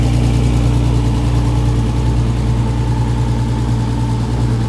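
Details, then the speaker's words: 1950s Ford Popular Anglia with freshly built RB30DET and BMW 7-speed DCT, first start: deep steady idle with an even pulse and no knocks or ticks; crisp, healthy. "Oh, she's going. She's a Goa. Sounds crisp."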